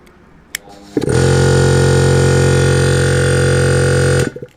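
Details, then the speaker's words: 1.5 kW 220 V air compressor motor on SSR soft starter, restarting against about 4 bar: brief pause after the click, then smooth rise to a steady even hum without strain; normal soft start, slightly lower current. "Start i ruszamy od około czterech barów."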